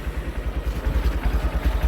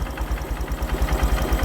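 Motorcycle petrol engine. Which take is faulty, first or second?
second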